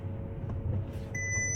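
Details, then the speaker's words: Cheap restored W12 Bentley Continental, driving: over low engine hum a steady two-tone dash chime sounds, warning the engine is overheating. "Aha! What does it say? Whoa, we are overheating."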